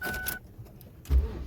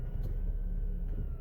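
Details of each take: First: 1999–2007 Ford Focus engine cranking and settling into a deep, lumpy throb about three pulses per second with chimes over it. There is loud vibration from worn, broken engine mounts. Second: 1999-2007 Ford Focus after replacing the engine support mounts for excessive vibration and cabin noise: short, quiet, smooth idle with a steady low hum, no clunks or rattles; normal idle.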